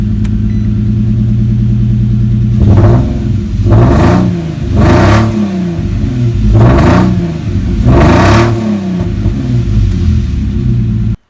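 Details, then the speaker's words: Nissan G idling after coil packs and three gas-wet spark plugs were replaced: rough idle with a repeating stumble every second or so; still misfiring, suspected from two swapped driver-side plug leads on the coils. "right so i still got a little miss as you can tell"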